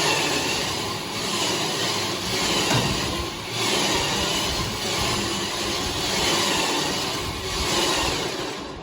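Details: Electric winch on a car trailer, powered by a battery that needs charging: steady, strong whir with slight rhythmic surging as it hauls the load up without strain; normal winch operation.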